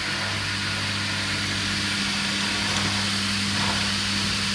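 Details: Indesit ISDP 429 Autopump spin dryer, made by Hajdu in Hungary, pump engaged: steady low motor hum with an even pump whir and water rush over it; dryer spinning up and pumping out normally.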